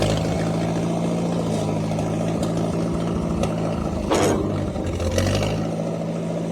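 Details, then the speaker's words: International 300 tractor restarted after dying in the field: low, uneven engine drone with lumpy surges and dips; runs rough and better with choke on; owner thinks the carburetor needs adjusting, linkage possibly out of adjustment. "so that carburetor needs adjusted. Oh. It likes the choke on."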